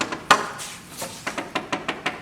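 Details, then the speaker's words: Bellanca Viking wood wing inspection (AD 76-08-04), tap test around landing gear leading edge fairing: crisp, sharp taps ringing solid with no dull or hollow spots; no rot. "I don't hear anything in there, so that's pretty good."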